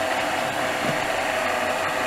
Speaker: tu jakąś Jezu jak chodzi rzęzi to wszystko co w tej tacce zostaje tu prawdopodobnie zostawały resztki wody wysychały tej z kawą tych popłuczyn